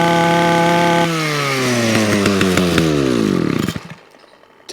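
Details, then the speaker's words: Titan hedge trimmer multi-tool two-stroke after a quick repair and slight tune (wasn't topping out before); clean, crisp steady high revs then smooth wind-down; runs healthy. "fix okay so that's a tight and multi-tool now up and running"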